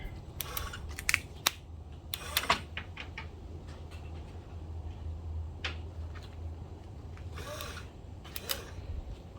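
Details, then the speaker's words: 1966 Ford Bronco windshield wiper motor, first run after lowering: low motor hum with sharp pops and clicks at the end of each sweep. Linkage overtravel is suspected, possibly from the bracket mounted too far back. "Because you hear that popping. My bracket, this shouldn't pop when it gets here. What it is trying to go a little bit too far."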